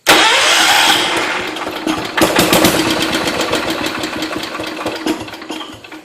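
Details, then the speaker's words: John Deere 210 lawn tractor after wiring and battery troubleshooting: engine catches and sputters unevenly, then fades and struggles near stalling when throttled up; owner having trouble setting mixture, choke and throttle need adjusting. "if you throttle it up it sometimes it'll stall a motor out so let's try it it sounds like it's trying to go"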